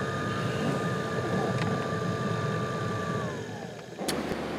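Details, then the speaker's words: 2010 Nissan Xterra after replacing blower resistor, blower motor and cabin filter: strong air rush with steady high whistle on high, pitch dropping as the fan winds down; normal blower operation. "Oh, we got a whistler. Sounds like she got a turbo, man. Wow, that's cool."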